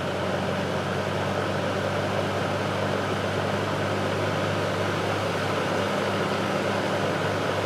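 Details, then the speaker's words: Vintage General Electric F15W13 box fan with a three-amp shaded-pole motor, running on high at almost five amps: steady airy whoosh over a low, even motor hum with no rattle, tick or wobble; running smoothly. "I'm going to start on high and show you how many amps this thing pulls you up to speed it's quite impressive almost five amps"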